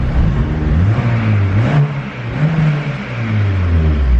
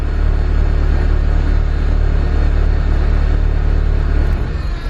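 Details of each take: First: Turbo K24 Civic EP3 running E85, with 1500cc injector data loaded: several quick blips climb and drop with a smooth, even note and no hesitation or misfire, revving freely and healthy. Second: Turbo K24-swapped Honda Civic EP3 (built A4 bottom end, Kpro/Hondata) that won't rev: after adding 40 on the fuel map it stumbles and wants to die on throttle, and leaning it is worse. It was lean; it revved only after about 120% more fuel.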